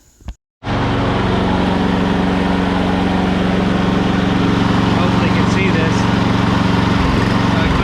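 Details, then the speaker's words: Push mower run on old untreated ethanol gas, where water caused rust and gunk: small engine chugs at a throbbing idle and sags near the end instead of holding speed, consistent with a clogged carburetor. "the water attracts in there and you build some rust and it gathers up all the gunk and that's what you're left with and then you your little mower won't run so well"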